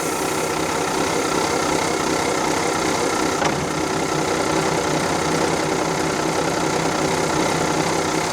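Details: Volvo Penta TAMD 71B marine diesel, unrun 10 years in a partially sunk abandoned boat, first run in reverse gear: even clatter about two to three beats a second, no deep rumble; sounds healthy, bearings still to be checked.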